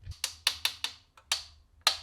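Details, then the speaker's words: BMX bike front end pops sharply, about seven in two seconds, as the handlebars turn. Suspected headset too tight so bearings bind, or damaged or cracked forks or bearings; front end to be disassembled and inspected. "like I said it could be a couple things it could be the headset is just a little too tight causing those bearings to kind of bind or the forks could even be cracked which we would hope wouldn't be the case"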